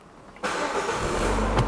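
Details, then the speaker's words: Peugeot 408 that had not started because of an electronic immobilizer fault, started with the repaired or new key: a brief crank, then it catches at once and settles into an even, steady idle; a clean, healthy start. "Vamos bater, o carro vai pegar na hora, certo? Essa é a chave."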